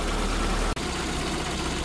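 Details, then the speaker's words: SPI Mini, petrol, engine warming after running a while, idle starting to drop, coolant about 77, inlet 34; even smooth fast idle with steady low hum, no knocks or misfires; normal fast idle. "so the car has been running for a bit now you can see the idles starting to drop down we've got some temperature in this engine now"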